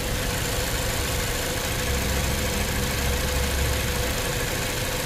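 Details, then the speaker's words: Engine idling unevenly with strong shaking, misfiring after cylinder 2 misfire and system too lean bank 1 codes; check engine light now off, compression test passed. "Punta tayo sa makina tingnan natin mukhang palyado mga katropa ay palyado pa rin oh Ang lakas ng ano ang lakas ng sayaw oh ayan"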